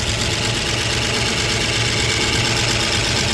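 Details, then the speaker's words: 1958 Oldsmobile barn find, first startup after long storage on a temporary fuel tank: steady even idle with bright exhaust hiss, no knocks or stumbles; runs cleanly, soot in exhaust as old fuel drains. "She's fully running off of our little fuel tank setup."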